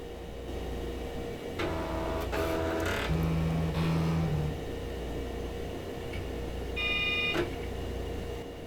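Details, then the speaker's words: Old DOS PC restarted after the date was reset, hard drive running its boot seek test: fan hum with bursts of rapid head chatter, about four clicks a second, as the heads sweep at startup; normal seek test. "And I don't need to restart, but I'm going to so you can hear the seek test."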